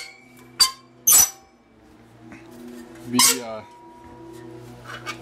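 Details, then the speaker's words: Roadside-found manual reel mower spun by hand on the bench: thin metallic squeaks and clinks where the reel blades rub the bedknife; fixed by backing the bedknife off with small adjustments. "all right so uh guess what yeah you knew already didn't you this is not supposed to be touching this"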